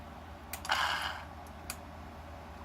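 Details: Mercedes S-class ASR throttle body on the bench, connected to a working module and tested before repair: the small motor gives a short free-spinning whirring buzz with no engagement clunk because the actuator clutch coil is open circuit.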